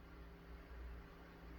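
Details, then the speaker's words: Korad KA3305 bench power supply after replacing its noisy, whining cooling fan: new fan gives a quiet even hum with soft airflow and no whine, sounding much better than the old one. "so i'm gonna fire it up um i don't know about that that does sound a lot better than the other one"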